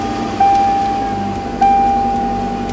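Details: Steady, even idle with two short chime tones over it and no knocks or ticks, heard on a 1999 Toyota Tacoma 2.7L just after an oil change with 5W-30 synthetic blend and a new filter; engine sounds healthy.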